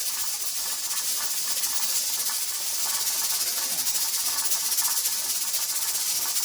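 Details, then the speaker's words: Pressure canner processing tomato sauce, heat started on high and being cut down before the 10-minute processing timer starts: steady steam hiss with a quick, loose rattle of the weight, about four a second; pressure regulator rocking too fast from too much heat. "That's still fast, so I'm going to cut my heat down even more. Because I started my heat on high to help build that pressure."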